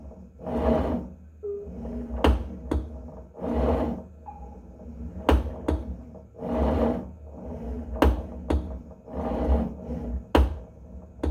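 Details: Tonal home gym: each slow cable pull-and-retract cycle, about every three seconds, ends in a sharp pop or click as the cable winds back in; fixed by resetting the cable system.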